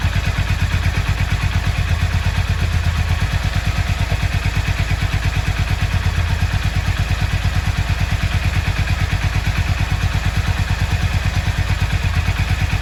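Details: Yamaha XV 535 Virago barn find, laid up since October 2013 (about 10 years), first start after refuelling: the twin runs with a steady, even low thump of about three beats a second, no misses or knocks. Normal running.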